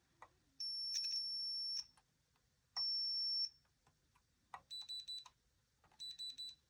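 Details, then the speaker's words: Logic probe on a ColecoVision (black-screen fault) RAM chip lines: two long steady tones, then short choppy pulsed beeps as the probe goes from a flat level to line activity; one chip fast-paced, another idle while CPU is suspected faulty. "And you can see they kind of sound a little bit different, like this one. Yeah, that one's more fast-paced, but this one isn't doing anything."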